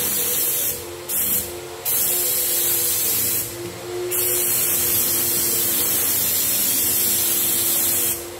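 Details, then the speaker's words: Graco 9.5 Pro Contractor HVLP with Edge 2 Plus gun spraying water-based paint: steady airy hiss that dips in pressure when the trigger is pulled for paint, then builds back up; normal. "So, as well when I'm spraying, if you can hear that, as soon as I pull that trigger, there'll be a drop in pressure and then it builds back up."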